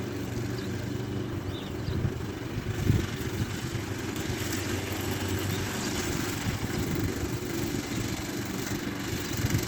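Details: Efco LR lawn mower after front axle repair, moving back and forth: steady low single-cylinder drone with even firing and no knocks or misses; running normally.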